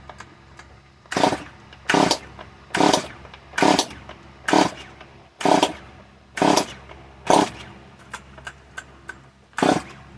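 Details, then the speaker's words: Stihl MS 170 chainsaw: short sputtering bursts about once a second, catching briefly then cutting out, never settling; starts then dies, owner suspects too much fuel wetting the spark plug again. "maybe it's too much gas that i put there maybe that's what it is and the spa po got wet again"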